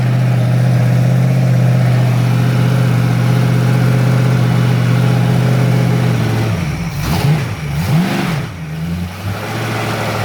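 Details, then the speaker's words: Freshly rebuilt Ford 302 V8 on first run, with a weak battery and not much ignition advance; a low lumpy idle and rough throttle blips that stumble, a cylinder audibly missing. "Not too much advance. Misfire, I can hear it missing."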